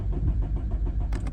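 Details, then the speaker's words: 2011 Nissan Rogue after an accident, scanned with no starting-related codes, ECM communication restored after a wiring fix: the starter churns at a steady few turns per second but never fires. "तो गाड़ी जो है ना scan भी की हुई है। उसमें कोई ऐसा कोड नहीं आ रहा कि जो स्टार्टिंग के रिलेटेड हो और गाड़ी जो है स्टार्ट नहीं हो रही। सल्फ ले रही है गाड़ी।"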